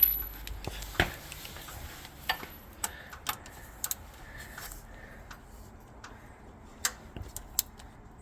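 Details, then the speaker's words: 1996 Jeep Cherokee XJ, engine off, crank rocked back and forth by hand: sharp irregular slapping and clicks behind the front cover. Timing chain slack or slipping is suspected after the engine suddenly went from running perfectly to running terribly. "you can kind of hear that slapping around just for me moving it a little bit"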